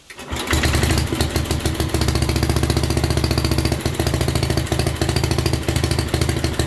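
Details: 1967 Unico 7hp tractor with rebuilt carb, first run in 27 years, fuel pressurized with valve left open to stop trickle problem: catches within a second, then even rapid put-put with no misses; runs smoothly.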